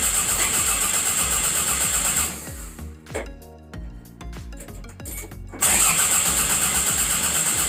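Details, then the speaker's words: 1992 Toyota MR2 engine-swap project with a 2.2-litre's parts reused cranks evenly and steadily but never catches; crank no start. "It cranks over, guys. Literally cranks over. It sounds like it wants to start. There's something going on in this engine bay that I either I'm missing or what, but it completely cranks."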